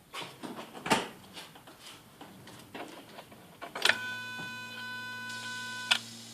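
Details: Skoda Octavia 1.6 55 kW, ignition on, engine not started: replacement used throttle body (030 133 064 F, replacing dead 064 D), not adapted via OBD, self-test: soft clicks then ~2 s steady electric buzz as flap drives and holds; actuator working.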